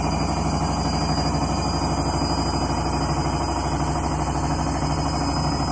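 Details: Candy washing machine on Rapid 30 mini-load program, final spin at about 1000–1200 rpm: a loud constant drone with a quick rhythmic thump, about three beats a second, under a high tone; noisy spin, cause unclear.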